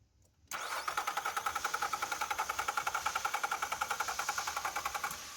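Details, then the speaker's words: 2024 Nissan Pathfinder R53 crank-no-start, fuel pump fuse intact: starter cranks briskly with even beats, about eight a second for five seconds, never catches. No fuel pressure and no supply voltage at the pump connector. "No fuel pressure. So check natin yung voltage dito sa ating dalawang terminal, red and black."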